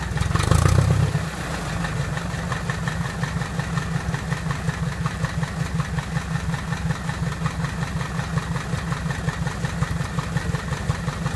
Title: Piper Apache first start and run up after rebuild